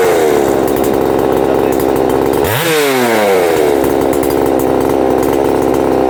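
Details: Husqvarna 262XP two-stroke chainsaw after its broken starter was swapped; a crisp high-rev buzz drops and climbs straight back to full revs, clean and even with no misfire: normal running.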